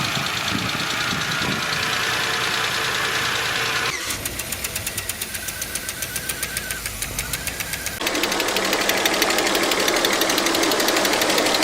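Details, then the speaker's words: Engine with a sharp, even tapping about three times a second. A hydraulic lifter has lost pressure, leaving slight play felt by hand, so it strikes when actuating the valve. "Esta pérdida de presión en el cilindro del buzo hace que se genere un golpe al momento de accionar con la válvula y es posible detectarlo."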